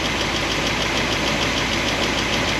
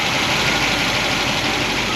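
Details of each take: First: 1976 Corvette with solid roller lifters on a hydraulic roller cam: warm idle (about 200, thermostat open) after resetting valve lash from 10 toward 5 thousandths; a quick, light top-end ticking remains, less than before, as pushrods rub their guide plates. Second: Solid roller lifter engine, warm (about 200°), valve covers on, after moving a pushrod guide plate down: smooth fast idle with no sharp ticking, valvetrain much quieter; slight mechanical noise remains, so other guide plates will be adjusted.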